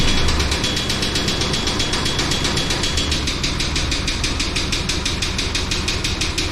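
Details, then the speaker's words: 1999 Chevy Tahoe after sitting about 14 years, possibly water in the oil pan: rough idle with a steady clatter of sharp knocks about three per second; blown engine, though it runs and drives and the transmission is decent. "I know we did find out the engine's blown up but it ran it drove trans transmiss is decent"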